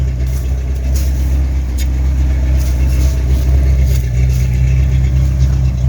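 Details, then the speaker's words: 1983 Ford Mustang Fox body carbureted engine after carburetor swap; deep, even rumble swelling smoothly with throttle and settling back with no misses or knocks: normal idle and revving. "Yeah, buddy. I got this thing going. Listen to that baby purr. Sweet."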